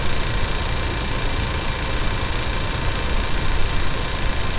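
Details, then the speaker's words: 2019 Ford Ranger 2.3L EcoBoost at idle, mechanic's stethoscope on the ignition coils: steady, even buzz, no skips or irregular snaps; coils firing normally. "you can't really hear fuel rail you can actually hear the high pressure fuel pump cannot hear the coils"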